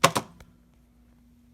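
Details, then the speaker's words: Automotive VVT/VDC linear spool flow control valve bench-tested straight off a 9-volt battery (roughly 60-70% duty equivalent): two sharp clicks as the spool shifts, then a faint steady hum from the energised coil; solenoid works normally. "Is just apply it, and you can hear it. You hear the coil. Clearly there's something going on here."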